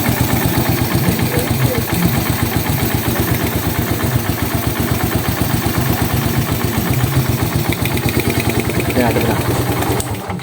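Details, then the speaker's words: Suzuki Raider 150 carb after cam holder honing and shim replacement, idling: steady even pulse without the former typewriter-like top-end clatter; repair successful, sounds healthy. "Ayos ang tunog Oo ayos Ang galing Saludo ako sa gumawa yan"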